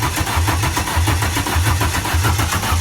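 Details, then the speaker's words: Renault Clio 172, on a jump pack: strong, even starter cranking with rhythmic chugs but no firing; cranks but won't start because the fuel pump wasn't hooked up, no fuel. "all right so we got crank but she didn't start cuz we had no fuel so we just hooked the fuel pump"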